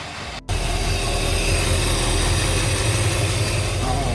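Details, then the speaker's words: 1964 Mercury Montclair, Ford FE 390 V8 with new cam and intake, first run in 40 years: steady, even deep rumble with no misses, knocks or hunting; smooth healthy idle, though set a bit high. "Needs to idle down. But it seems like it's running pretty smooth. Yeah, run good. It sounds good."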